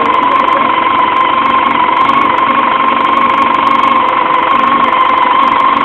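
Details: 1999 Yamaha YZF-R6 at steady idle: rough, uneven knock roughly four a second over the engine hum; owner unsure what to check or replace; engine knocking, cause undetermined.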